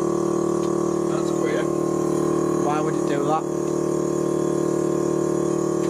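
A steady, even electric motor hum with a constant buzz that holds pitch throughout; the air ride compressor is running normally.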